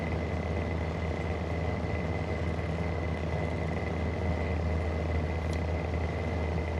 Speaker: And it's actually got very bad bearings. Now in this video I'm actually going to show you these bad bearings.